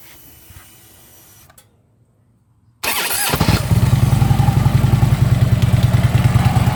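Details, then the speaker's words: Harley-Davidson Ultra Limited after new compensator fitted, compensator banging gone: at idle a loose, chattering rattle over the lumpy twin beat, about three pulses a second, from the lower end; source unclear, owner will test-ride to see if it quiets. "It's almost like something's loose. It's like a rattle. I can't lock in on where it's coming from."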